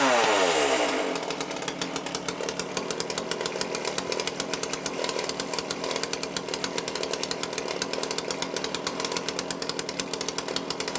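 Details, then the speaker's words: Cheap lockdown chainsaw with Walbro carb, after carb rebuild kit service and high/low screw fine adjustment: crisp, even high-pitched buzz with steady rapid firing after start-up, no hunting or stumbling; starts easily, cuts well, running clean. "oh there you go she starts up easy cuts really well"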